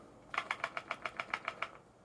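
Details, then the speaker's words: Brand-new Canon R6 Mark II, powered off and shaken: about ten light, dry clicks from the loose in-body image stabilization (IBIS) unit. This rattle is normal and stops once the camera is turned on. "Not used to hearing that funny rattle when you've got a new camera, thinking there's some broken. Well, it's not. It's just the inbody image stabilization uh system or IBIS, which once the camera is turned on, stops doing it."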